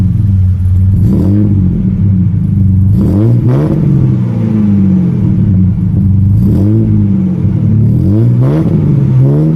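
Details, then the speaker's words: Ford EL Falcon 4.0L SOHC six with Pacemaker 4499 headers, Venom high-flow cat and 2.5in sports exhaust, about 100 km after fitting. Deep exhaust note, loud at idle, with throttle blips rising and falling; sounds great on song. "sounds pretty good A little bit loud and idle and just putting about but on song it sounds [ __ ] great"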